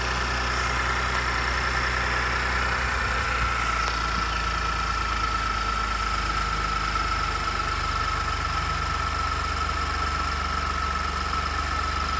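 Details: 2018 Ford F-150, 2nd-gen 3.5 EcoBoost V6, 29K miles: steady idle with a light metallic rattle and knocking over the engine note; cause unknown.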